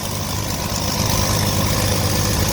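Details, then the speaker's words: 1982 Ford F-150 after new carburetor, new valve cover, new fuel pump and valve adjustment: smooth, even idle with steady low rumble, valves no longer heard; normal idle. "and man that sounds a lot better it's actually running steady now you don't hear the valves"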